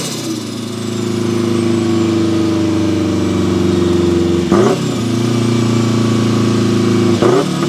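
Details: Turbo Mazda Miata, built 1.6L with new head gasket and clutch, unequal-length turbo manifold, about 15 psi boost, est. high-200 hp, driving: deep uneven rumble rising smoothly with throttle, dips at shifts, no flutter or knock; healthy running under boost.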